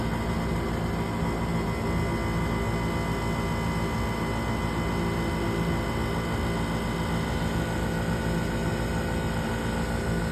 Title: Furnace Buzzing Noise